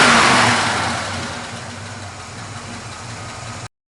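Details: 1979 Chevrolet Camaro, 400 cid small block V8, cast exhaust manifolds, dual exhaust: the engine catches with a loud burst, then quickly settles into an even idle; normal start and idle.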